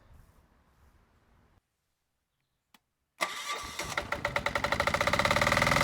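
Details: Generac XD5000e generator with Yanmar L100 diesel, during test run: short crank, then catches and settles into steady quickening clatter with even firing; clean normal start.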